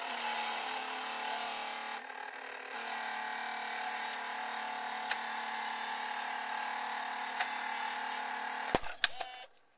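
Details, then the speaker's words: Panasonic A4 VHS-C camcorder, early-to-mid 1990s, cassette inserted: steady high whir with fine tones and faint ticks from the spinning head drum; head drum bearings worn. "Par contre, comme vous l'avez entendu, ce bruit-là est effectué par voilà, le tambour de tête. Donc du coup le tambour de tête, voilà, il est fatigué."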